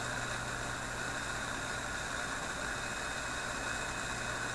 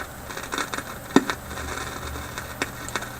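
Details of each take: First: Philips 922 vacuum tube radio, started cold on current-limited supply around 115–120 V: steady even hiss with low hum and a couple of faint clicks, no static crashes now. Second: Philips 922 vacuum tube radio, restarted cold on a current-limited supply with the line voltage climbing near 120 V, then held to 115 V: irregular sharp snaps and crackles like distant lightning over a faint hum, then the radio goes dead. Owner suspects IF capacitors.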